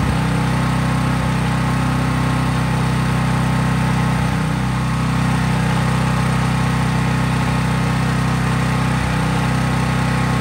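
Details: Craftsman 5000 W generator, used about once a year, running with almost no load, a lamp or drop light at most. Smooth, unbroken low hum at constant speed, no hunting, knocking or sputter; normal healthy running.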